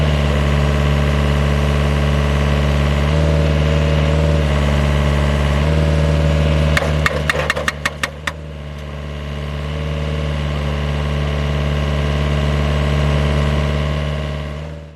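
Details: GPS-guided vineyard post driver: steady high-rev diesel drone with a quick burst of sharp pneumatic hammer blows midway as the spike is pushed to depth, then steady again; loud but normal operation.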